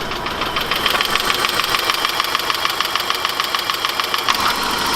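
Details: 1991 BMW E30 Touring petrol engine at idle: fast, even metallic ticking from the valvetrain, heard before treating it with Marvel Mystery Oil to clean the lifters.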